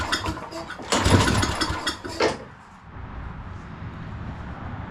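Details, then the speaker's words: Lawn mower with a new pull cord. Rough pull-start bursts turn the engine over but it never catches, and the electric start does not engage. Hand testing showed no spark; a bad ignition coil is suspected. "from what I can tell it doesn't have spark but uh see if the electric start Works doesn't sound like it's engaging"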